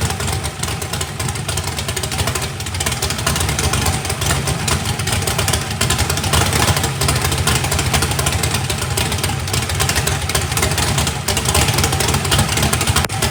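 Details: First fire-up of a freshly built 409ci small-block Chevy race engine, turbo not yet fitted, warming up: deep, even V8 burble at steady idle with clean throttle blips, no knocks or ticks. Good oil pressure (oil pressure spring shimmed). Normal idle.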